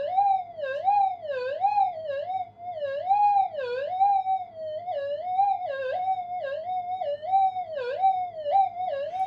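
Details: Upgraded Minelab GPX 5000 at low gain, mono mode, 0.1 test target in a workshop: high wobbling threshold tone swinging about every half second; mains interference still leaking in.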